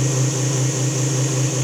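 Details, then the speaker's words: Newly installed fuel transfer pump running for the first time, pumping fuel back into the other side of the tank: loud, steady electric motor hum with a constant low drone, no surging or rattling; pump is delivering fuel normally. "It works. I'm gonna go turn the valve on. I'll just pump it back into the other side of the tank. Woohoo! That may be turbo pumping."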